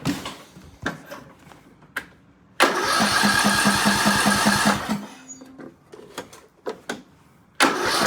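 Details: 2003 Craftsman LT2000 hydrostatic mower, 18.5 hp Briggs & Stratton Intek, after water in the intake and a fresh oil change. It catches after a few cranking bursts and runs evenly for a couple of seconds: a healthy start.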